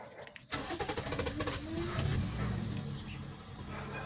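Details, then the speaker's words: Toyota Vios that often needs about three start attempts, worse when cold. The starter churns at three to four beats a second for over a second before the engine catches; long cranking. "may long Crank siya ang tagal magbukas siguro three times mo pa siyang i-start bago siya magbukas lalo na pag malamig"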